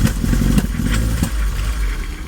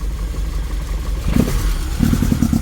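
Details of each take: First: 1980 Triumph TR7, cold, at start-up after removing noisy thermofan: idle stumbles with uneven coughs and pops; rough, misfiring idle, owner suspects it needs a tune, new plugs and possibly timing adjustment; cause unconfirmed. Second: 1980 Triumph TR7, cold engine blipped after thermofan removal: revs rise and settle slightly rough and uneven but the loud squeal previously heard on revving is gone; normal revving, no squeal.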